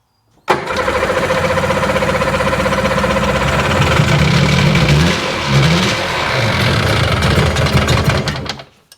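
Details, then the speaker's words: 2001 Sea-Doo GTX RFI 787 fuel-injected, hard-starting, just started: engine catches into a slow, uneven, hunting putter of about four beats a second; idle is far too low. "This may be screaming high idle. I don't know. [Music] No, it's way low."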